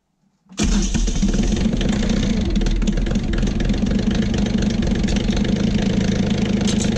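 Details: Kioti CK20HS diesel tractor after cracking injectors to bleed air: a brief crank, then it catches cleanly into a steady diesel clatter without stumbling, idling normally. The overnight prime-loss test is still pending and the owner is unhappy with the fuel pump.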